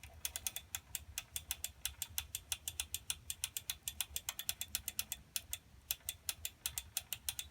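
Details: Schwinn Meridian tricycle while pedalling: rapid sharp ratcheting clicks, about six a second, from the primary (front) chain set too tight at the factory; check the chain tension.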